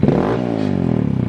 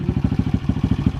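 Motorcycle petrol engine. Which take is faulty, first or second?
first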